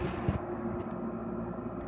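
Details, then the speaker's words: Haier QTPC05AA 5050 BTU window air conditioner on high cool, compressor engaged: even low hum with steady buzz and fan rush, no knocks or rattles; running normally. "let's do High cool the compressor has engaged and is in active cooling mode you hear it"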